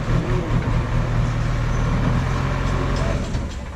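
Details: JCB backhoe loader diesel test-digging into a pit after the fuel line was bled, checking for the earlier cut-outs. It pulls steady and even under the digging load, with no stumble, dying off or knocks. Running normally under load.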